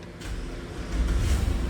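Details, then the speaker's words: Police Dodge Charger HEMI after a teardown repair of a tick and misfire: a low, even idle rumble with no tick on top, so quiet it barely sounds like a HEMI. Normal idle. "Ah, it's so quiet. It's so quiet. It don't even sound like a don't even sound like a Hemi anymore."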